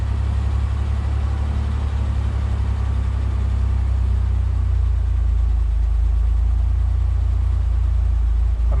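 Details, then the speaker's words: Ford Bronco II, 2.9 V6, cold start at about 70°F after sealing repair; deep steady rumble at constant idle, no longer climbing toward 2000 rpm while warming: normal smooth cold idle. "it's pretty smooth used to it' go up to like 8 to two grand warming up like this and now it's just kind of doing that"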